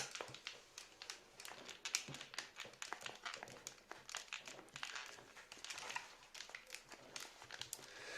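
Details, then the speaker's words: SteelSeries Siberia V2 USB headset being flexed after silicone lubricant was applied to the hinges: quiet, irregular creaking from dry plastic joints; about 70% better, other joints still creak. "Но здесь еще, оказывается, надо было промазывать все соединения, которые были еще кроме петель. Эти тоже поскрипывают."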